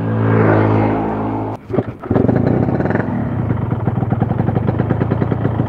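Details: Yamaha RX King two-stroke: revs, dips, then a rough, uneven rattling run with knocking clatter throughout. A teardown possibly including crankshaft rework may be needed; cause unconfirmed.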